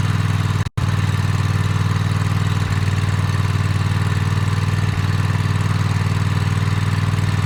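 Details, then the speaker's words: Toro TimeCutter MX 4200 twin: low idle that sags and picks back up every couple of seconds, hesitating and jerking while driving; fuel, plugs, filter and valves ruled out, faulty ignition coils were the cause. "So you guys can hear it idles and it drops down, idles, drops down, idles, drops down. Even when you're driving it, you're going forward, and then it'll hesitate and then go forward again."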